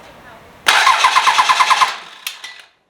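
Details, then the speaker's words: 12v Cummins bench start for OBS Ford swap, jumper on starter solenoid, fuel shut-off valve closed so no start expected: brisk even cranking about eight compression beats a second for just over a second; healthy starter cranking. "okay well that answers our question starter sounds great"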